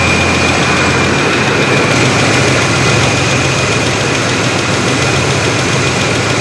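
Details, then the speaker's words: 1987 Chevrolet S10 during AC repair, gauges connected, engine idling: steady even hum with no clutch click or compressor load change; AC compressor not kicking on, cause unconfirmed. "I just don't hear the compressor kicking on, which is not a good sign."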